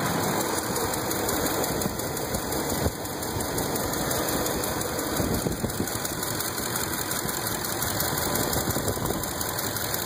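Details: 2005 Ford F150 5.4 3V V8 at steady idle before repair: rapid, light ticking knock keeping pace with engine speed, caused by seized hydraulic lash adjusters (lifters).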